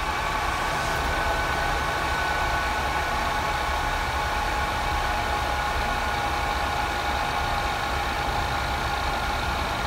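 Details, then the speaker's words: G4 Cube computer fitted with a CNC autonomous fan controller: fan ramped up by temperature, steady airy rush with soft even whine, no rattles, then slowing as it cools; normal fan operation. "sorry guys it's not a very exciting demo there but you can hear the fans ramped up in it and then as this thing cools down the event it'll start dropping down here"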